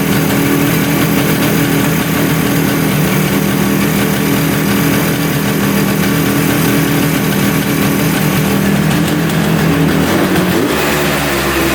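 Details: 1971 Suzuki T500 500cc two-stroke motorcycle, sat 22 years: steady rattly idle holding even with no hiss or surge after a new gasket was made and fitted at the intake; manifold air leak seems sealed, normal idle.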